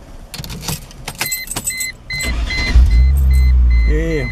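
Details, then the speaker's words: Chrysler Crossfire with an intermittent no-start, after reheating and resoldering three solder points: key jingle and dash chimes, then the starter catches and the engine settles into a steady, smooth idle. Normal start and idle. "have success again just be sure I think we're good on this one"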